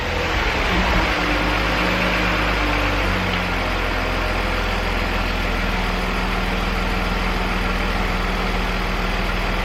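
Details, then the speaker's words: BMW E46 323ci inline-six after no-start and misfire diagnosis, with the cylinder 1 coil or plug suspected: revved in place, it settles into a steady, even idle with no stumble or misfire. Normal idle, not yet tested under load. "seems pretty smooth I'll have to take through the drive so then it gets under load and then see if it misfires under load"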